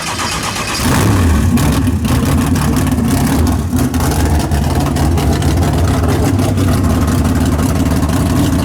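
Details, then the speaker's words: Big-block Chevy drag car with a tunnel ram swap, timing locked at 32 degrees, fired up and transbraked: a loud, lumpy but even V8 rumble with strong blips; running well, sounding much better than before. "it sounds good though sounds way better i'm telling you right there"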